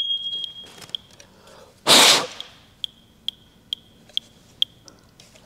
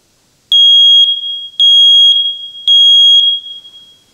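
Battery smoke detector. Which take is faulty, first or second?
first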